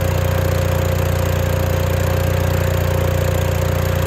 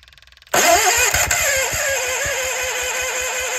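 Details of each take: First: Case 1816C skid steer that sat 10+ years in a barn, now running after repeated cranking on a battery charger: steady, even low chugging about 220 beats a minute with no misses or knocks. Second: Case 1816C skid steer sitting 10+ years, new starter and flywheel refitted: starter cranks briefly and the engine fires unevenly a few times without running; cranks but won't start, battery charger added to support cranking.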